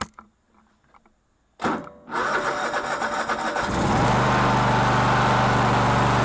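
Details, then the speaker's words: Cub Cadet LT1046 lawn tractor that was reported to run badly. The starter cranks, then the engine catches with an uneven, surging beat before settling. A fuel fault is suspected, and the rough running appears to be the carburetor flooding. "this is my mom's Noir and she said it kind of really runs like crap so I don't know what's going on with it exactly"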